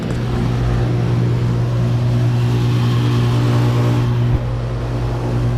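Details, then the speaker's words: 2012 Bryant Legacy air conditioner running on an 82°F day, not yet cleaned this year: steady low hum with a loud, weird metallic ring over the fan rush; source of the metallic noise unknown. "It's like this metallic sound. It's weird. It's loud as hell"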